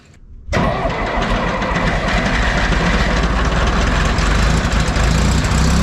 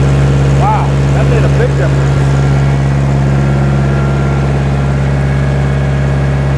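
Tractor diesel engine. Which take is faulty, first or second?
first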